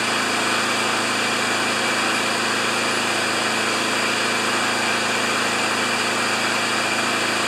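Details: Riding mower small single-cylinder engine, choked on first start after a rusted-on blade adaptor repair: steady even buzz at a fast idle with no misses or knocks; normal running, not yet under load.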